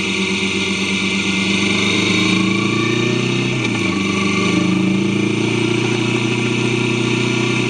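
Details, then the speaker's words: Kawasaki Vulcan S 650 riding after new chain and sprockets with properly adjusted chain tension: steady even engine drone with smooth pitch rises on throttle, no chain slap or clatter; normal running, smoother than before. "I thought I'll include this part just so you can really hear the power of the bike and the smoothness of it."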